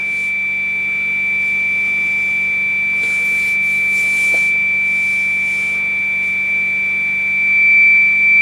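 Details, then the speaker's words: Customer's Yaesu FT-101E receiver with its own RF board replaced by a known-good board on an extender card: test tone much louder and strong over faint hiss. The original board is suspected of a bad component or worn RF transistor. "see what kind of difference this makes there's already a whole lot louder"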